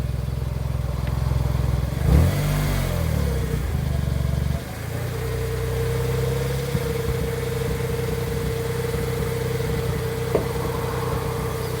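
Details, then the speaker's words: Smart ForTwo 450 at idle after a throttle blip: thin steady mid-pitch whirring whine and slight chitter on throttle, apparently from the alternator belt area; trim lube on the belt helped slightly, source not confirmed; accessory drive whine. "here's a bit of a whirring noise from what sounds like the alternator belt and the alternator area."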